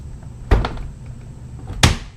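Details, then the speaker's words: Two heavy low thuds with a metallic clack as the door swings shut and strikes a dented, beat-up lock mechanism; the door is misaligned, reportedly from door checks removed during an install. "and if you can see it hits the lock mechanism look how beat-up my lock mechanism is in here and it's dented in and the door is [ __ ] up I mean this is the alignment of the door"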